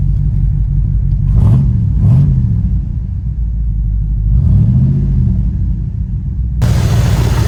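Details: 1983 Capri with factory cast exhaust manifolds, after repair on the bad side of an exhaust leak: idling and blipped, revs rise and fall cleanly with no ticking or puffing; exhaust sounds sealed, normal idle.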